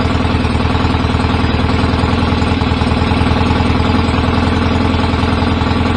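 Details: BSA A50 Royal Star twin, bought as a non-runner, at first start after restoration with pattern exhaust: loud, rapid, slightly uneven popping idle with a wandering beat. Needed throttle to fire; owner suspects timing slightly off and plans a strobe check.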